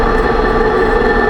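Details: 2006 Range Rover Sport rear differential after rebuild for vibration and howling, all new bearings and races; steady high-pitched whine over rolling noise, still loud. Owner suspects excessive pinion preload (35 in-lbs instead of maybe 20).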